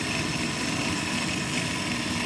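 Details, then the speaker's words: Payne furnace inducer fan motor that first only buzzed, then turned after WD-40: a steady rough whooshing hum, running too slowly to light the burner and sticking. The motor is failing and needs replacing. "At first it was just buzzing, but you can hear the noise. But it's not turning quick enough when it's getting stuck."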